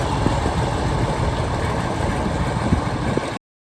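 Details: Old Case tractor after fixing a no-run caused by moisture in its very old distributor (dried out, points filed): even, steady low chug, no skipped beats or popping, all cylinders firing; runs smoothly.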